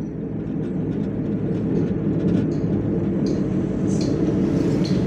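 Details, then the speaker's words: Car driving above 40 km/h, loud at 50 km/h: steady heavy low roaring drone like an airplane, with vibration felt through steering and body; mechanic suspects a worn wheel bearing, not yet confirmed on lift. "kemudian juga ada suara bengong upnormal ketika jalan nih di atas 40 km/jam kecepatan 50 pun suaranya sudah kenceng ya seperti ini ya Dengarkan teman-teman"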